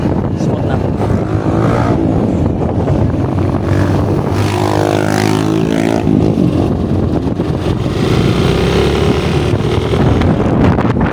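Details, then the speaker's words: Yamaha Aerox 155 road test after replacing a noisy rear bearing near the swing arm: steady engine drone and road rush rising and falling with speed, no hum or growl from the rear; noise gone. "Pakinggan natin kung meron pa yung ingay niya. Tara root test natin. Good. So nawala na yung kanyang ingay."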